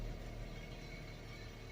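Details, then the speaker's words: 2004 Suzuki Forenza that sat 6–8 years, first start after replacing the clogged fuel pump and siphoning old gas, with 4 gallons of fresh fuel but old gas still in the lines. A steady drone with an uneven, lumpy pulse; it runs a little rough. "foreign a little rough I got all the old gas siphoned out"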